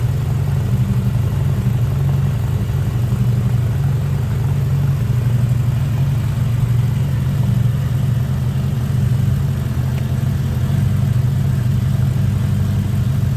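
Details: 1979 Honda GL1000 Gold Wing flat-four after valve seal replacement to cure excessive smoking; warm engine settles into a smooth, even idle with a steady low hum, no knocks or misses; normal idle.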